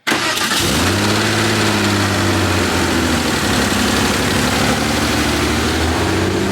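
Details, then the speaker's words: Porsche 964 Turbo (RWB) with built engine on new Haltech ECU, injectors 5 and 6 swapped to test: fires into a lumpy, bumbly idle with same cylinder still dead; dead-cylinder misfire, traced to a damaged exhaust valve. "Sounds bumbly. Still dead. Same one."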